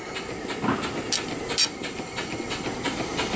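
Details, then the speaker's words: Small steam engine run from a boiler, valves opened to drain water, running in reverse: even chuffs and sharp steam hisses at a steady beat with some spitting water; normal running. "start it up some water running reverse today definitely a runner"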